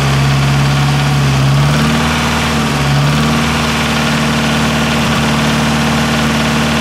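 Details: Nissan S13 CA18DET engine at idle: loud steady idle with a dull regular knock about four beats per second; owner unsure whether it needs a crank grind; source unconfirmed.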